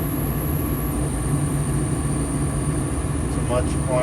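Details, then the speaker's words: New Fasco replacement draft induction blower (119256-00 / ICP 1014341 JA) on a gas furnace with burners lit, replacing the noisy old motor; smooth low hum with faint steady high whine, no rattle: normal draft inducer operation. "relatively very quiet operation now this is great see how the motor is spinning right in there super silent"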